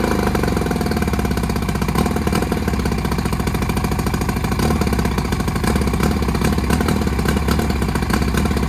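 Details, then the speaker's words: 1959 or 1960 Evinrude 10 hp two-stroke outboard with magneto points ignition, before repair: fast putter that now and then skips a beat; ignition misfire. "hey guys welcome back to another video about this sold out board I got a 19 I think it's a 59 it may be a 60 Evinrude 10 horsepower motor and it's got a miss"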